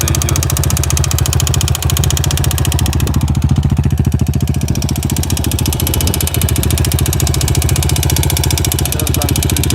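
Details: Yamaha TTR 250 single-cylinder at idle: sharp, regular tapping on every firing pulse, steady and not fading; engine knock at idle, cause identified separately.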